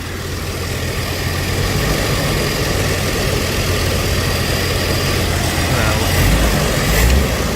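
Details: 1982 Ford Granada, choke slow to open, now at low idle; low, steady, even rumble without misses or knocks; runs good, though the choke seems not to work and a fuel leak at a fuel filter fitting is seen.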